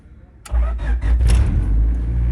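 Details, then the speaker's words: Honda Civic EG hatch that had been slow to crank, after new starter, ground kit and terminals: barely any crank, the engine catches almost instantly and settles into a steady, even idle; starting system working properly. "I mean there's like no cranking time it's just like pretty much instant let's go"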